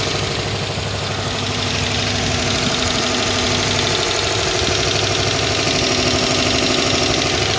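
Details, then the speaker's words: 2011 Dodge Charger PPV, 5.7 L V8, 104,000 miles, idling after about 30 minutes: steady light tapping from the top, louder on the driver's side, plus a steady misfire; throttle unresponsive (disconnected or safe mode), check engine light on. "got a steady tapping clacking noise and i can't rev it up because the accelerator does nothing"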